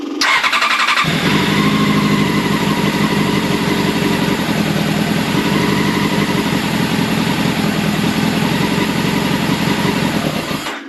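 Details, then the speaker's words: Old Honda CBR600 track bike, on choke: fires and holds an uneven, lumpy idle with no steady beat; carb idle circuits suspected gummed up, carbs to be removed and cleaned. "well at least we know it runs now anyway so hey sounded alright actually um a bit smelly it's a bit dusty"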